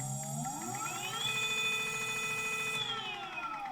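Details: Brand-new QS 205 v3 mid-drive e-bike brushless motor, first use, top lid opened only for ferrofluid: whining tone rising and falling with speed, faint uneven knock underneath; owner suspects inner bearing, cause unconfirmed.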